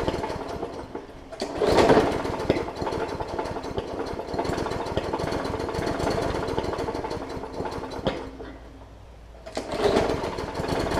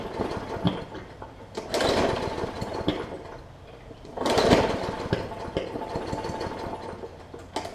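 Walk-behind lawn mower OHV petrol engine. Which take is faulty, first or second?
second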